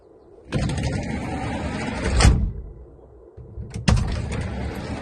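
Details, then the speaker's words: GAZ Sobol 4x4 side sliding door after adjusting worn mounting positions: rolls along track under two seconds and latches with soft dull thud, no metallic bang. "Вы слышали, как мягко? Прям вот этого металлического тыщ нету."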